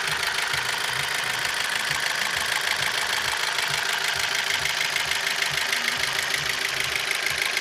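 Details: Opel Z16XER engine after the timing belt jumped while driving and was reinstalled to the marks; steady knocking at idle, roughly two beats a second over the engine hum; engine knock.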